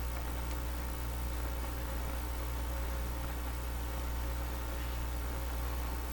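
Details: National HRO tube receiver, serial 124B, during IF peaking, RF and audio gain turned up with volume near eight: steady even band hiss over low hum with no crackle or dropouts; working, receiving normally.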